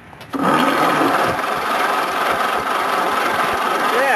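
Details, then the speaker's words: Red Willys Jeep engine previously seized and freed by hand, valves possibly rusty, cranked on the starter from another Jeep's battery: a steady whir with a rough scraping undertone as it turns over slowly and evenly; the freed engine cranks. "oh awesome awesome it turned over"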